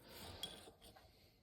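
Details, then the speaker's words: 1996 Ski-doo Formula SLS crankshaft bearing spun by hand during teardown: soft even whir fading out with no grit or rumble, pretty quiet and typical, fine to reuse. "these ones not too bad pretty quiet and that's pretty typical I mean sometimes you get them quieter than that"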